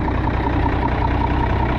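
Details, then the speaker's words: 1965 Minneapolis Moline G707 diesel tractor, parked 13 years, revived: steady, even diesel idle with regular light clatter, no misses or knocks, loud possibly needing a muffler; fired right up, engine healthy. "Might need a muffler. But it fired right up."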